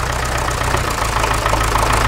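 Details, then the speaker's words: Massey Ferguson MF-35 diesel tractor started cold with start pilot after frost damage and a repaired cracked cylinder-head water channel: steady, slightly rough clatter with even firing; normal idle. "so let me crank it up almost yeah yeah that works all right she's running"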